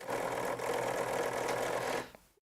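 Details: Rebuilt racing wheel's vibration test, camera resting on the wheel: steady buzzing rattle holds about two seconds then cuts off cleanly; vibration motor runs properly.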